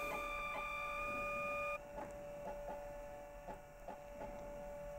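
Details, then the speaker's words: 1989 Macintosh Portable after leaky capacitor replacement and board washing, booting a system install floppy: steady whine with regular ticking. Noise possibly from the floppy drive, hard drive also suspected; source unclear. "Maybe it's the floppy drive that makes that funny sound. Yeah, but it shows a happy Mac, so it found something to boot. The sound is a little bit annoying."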